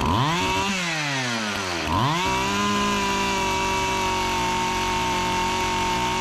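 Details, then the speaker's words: Partner 405 chainsaw that stalled on throttle, after repair and tune-up, running without air filter cover: snaps up to speed cleanly twice, drops back, then holds a steady even high buzz with no stumbling; running healthy. "Bueno pues parece que va bien eh Parece que va bien"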